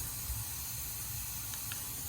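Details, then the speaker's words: Subaru WRX turbo intake pressurised with a homemade boost tester: steady airy hiss as air escapes low on the intake, with pressure dropping; a boost leak. "you can feel some air coming from down here it's coming up i had to fill it back up with air because it was losing some air"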